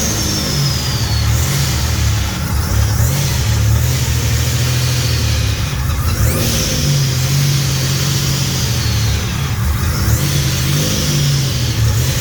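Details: Fully built 3800 V6 race engine on its first start after the build: revs rise and fall back cleanly and evenly, no knocks, ticks or misses under each blip, no leaks; normal revving.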